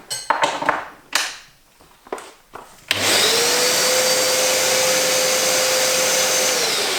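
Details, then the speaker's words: New Karcher SE4001 wet vac, replacement for a broken one, running with bag and filter fitted: after handling knocks the motor spins up to a steady smooth even whoosh, quieter and more powerful; healthy. "Like a normal Hoover. Yeah. It sounds more powerful though, as well."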